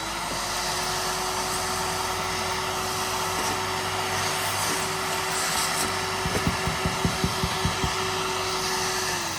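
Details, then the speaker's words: Curbside Craftsman 5 gallon shop vac after the clog was cleared from its hose (debris just came out): steady, even motor hum at one pitch with air rushing through and a few brief clunks near the end. The vacuum runs normally. "I think this is where the clog was because that's all that just came out."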